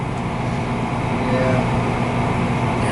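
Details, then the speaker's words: American Standard 90+ gas furnace; steady, even roar with no cutting out or sputter; the burner is lit and holding flame normally. "I can see it through my camera here. It's definitely running."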